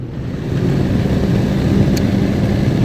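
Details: Exhaust hood blower with new 120 V motor after belt tension reduced via adjustable pulley, amp draw dropped from 15.3 to about 10.5 A (target 11.5): steady low rumble and airflow, no belt squeal or slap; normal operation.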